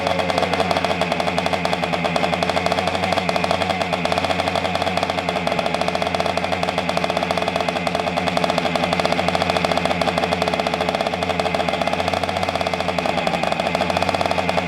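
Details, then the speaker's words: 1976 Honda MR175 Elsinore two-stroke, first start after an engine rebuild, smoking: fast, even popping with a sharp puffing tick on every beat. A small exhaust leak at the front exhaust joint. "You got an exhaust leak in the front. Oh, yeah, I've kind of figured that. How bad? Just a little bit."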